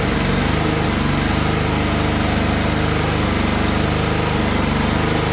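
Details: Lawnmower that would not start, after draining suspected water-contaminated fuel and refilling with known good gas plus starting fluid: a steady, even single-cylinder chug with no misses, stumbles or surging. It now runs normally.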